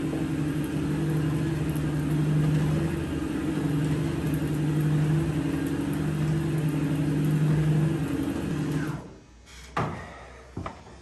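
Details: Stairmaster StepMill after replacing the chain to cure skipping, clunking steps, tested at several speeds: steady low motor hum with even rolling rhythm and no skipping clunks, now running smoothly.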